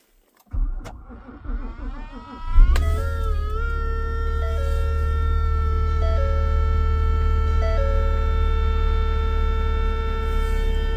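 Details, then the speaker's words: 2017 Ford Explorer 3.5L V6 with engine started: loud, steady whining buzz from the dash opening by the instrument cluster, changing when the spot is warmed; cause is a failing HVAC cabin air temperature sensor, fixed by replacing the sensor. "it so this is the whining buzzing noise and it's coming from the dash right from this opening [Music] here see the noise changes when I kind of heat it a little bit"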